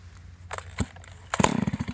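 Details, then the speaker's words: Stihl 028 AV Farm Boss chainsaw from a scrapyard pile, muffler missing, on premix fuel, started with one hand and no bar or chain fitted. A few pull clicks, then sharp, quick popping without a muffler: healthy running engine. "a good sound guys she runs great all this thing probably needs is a bar and a chain a muffler and maybe a muffler gasket"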